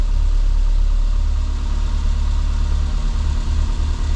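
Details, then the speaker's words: 1990 Renault 5 1.4 CAT, C3J monopoint engine, after new distributor cap and injector: low, steady idle with even beat, no misses; runs well, idle speed slightly low because the idle control motor was removed. "Vitesse faible en raison de l'absence d'un servomoteur au ralenti avec assez de vitesse, ça fonctionne bien"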